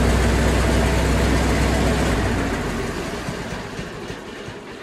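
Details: 1974 International 354 gas tractor running after installing an aftermarket generic starter solenoid to fix a no-crank click: deep, even engine rumble with steady beat, no miss or knock; running normally.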